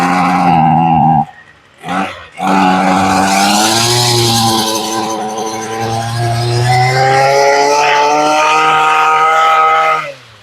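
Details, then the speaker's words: Ryobi two-stroke weed eater, sat in a garage since 2023, fuel lines had been fitted backwards, first pull on full choke after priming, untested: high buzzing revs, cuts out after a second, fires again and holds a wavering rev; cold-blooded hard starting. "Okay, she's primed up. And this is first pull. I have not tested this in any way. Ah, we felt a kick. A little bit cold-blooded."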